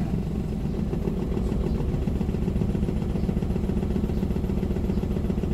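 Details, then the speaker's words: Toyota Wigo with a blinking check-engine light, idle around 900 rpm against a normal 750, AC on: idle shakes with an uneven low rattle and stumble; cylinder misfire from an open-circuit injector wire. "so naka-check engine tapos pag nag-air conon rattling ang makina niya nag-check engine nagaan palyado masyadong magalaw ang makina"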